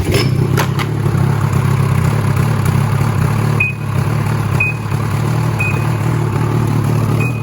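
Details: 2016 Ski-Doo Freeride 800 E-TEC two-stroke sled that bogged off idle, after throttle cable free play adjusted: steady low burble holding even idle without stumbling, a few faint high chirps; normal idle.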